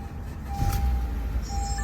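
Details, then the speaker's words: 2015 Honda Accord 2.4L K24 after replacing the VTC actuator, timing chain, guides and tensioner; on the second start it settles into a smooth, even idle with a steady low hum and no ticking or rattle, after a weird noise on the first start. "see there you go oh my God that sounds so smooth"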